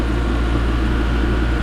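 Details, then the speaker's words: Repaired oil-lubricated compressor cutting in near 80 psi (normal range 85–105): steady low even drone with no banging or popping. Runs normally. Earlier seizing was suspected from running low on oil and getting hot, since quite a bit of oil was added. "that's how it should sound it's just really uh no banging or popping"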